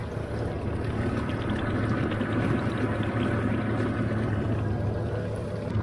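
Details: Yamaha 4.2-litre V6 outboard idling in a water tote for flushing: a steady, even idle with splashing water and no knocks or misses; a healthy engine, with the water telltale flowing within 15 seconds versus over a minute on earmuffs.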